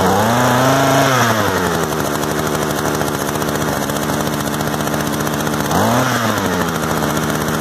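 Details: Used Echo two-stroke gas trimmer of unknown history, after starting, idle being adjusted: buzz revs up and drops to a steady even idle, blips cleanly; running properly.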